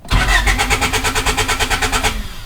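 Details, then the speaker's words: Honda Del Sol project car (not yet turbocharged) with a newly installed lithium battery: quick, even starter chug that cranks the engine extra fast. The battery is strong, but the fuel pump is not heard priming. "well the battery cranks over that engine extra fast that is a very strong battery"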